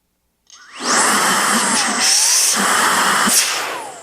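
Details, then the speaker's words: New Milwaukee M18 precision blower, nozzle removed, outlet covered by hand: high whine spins up fast, pitch bends as outlet is blocked, motor runs strong and air pushes the hand off without nozzle leakage. "What I'm feeling is actually when you plug this up, you're losing, I mean, you get some of it back here, but you're losing a lot of it through these little grooves and openings here."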